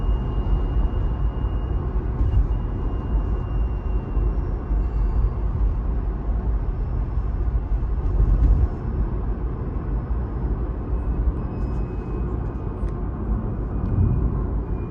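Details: Used 2018 Tesla Model 3 while driving: thin, high, steady whine faint above road rumble, dropping slightly as the car slows; owner suspects drive unit/inverter, service center called it normal; front and rear ground straps to be replaced.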